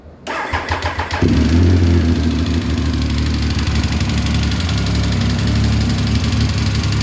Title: speed triple knocking noise??